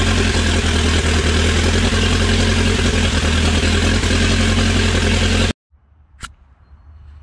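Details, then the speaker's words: Dodge Raider/Montero with a rebuilt 4D55T diesel, rebuilt after low compression, on first start after fuel bleeding. Loud steady clatter with no misses or knocks, then cutoff. The injectors leak slightly and one injector line is cracked. Normal diesel idle. "well it's actually running runs pretty good"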